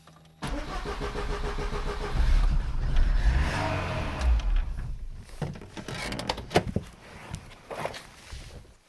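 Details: VAZ 2112, gas fourth-generation system, that showed an exclamation mark on the dash and would not start, after squeezing the starter positive connector with pliers: starter spins briefly, the engine catches within half a second and settles into an even idle. Normal start.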